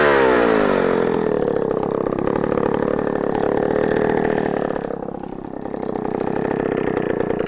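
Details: 44-year-old Husqvarna L65 chainsaw with points ignition, revived and cutting a large oak log: high buzzing note sags and steadies as it bites, pulling evenly without stalling. Slower-revving than modern saws but high torque; normal cutting under load.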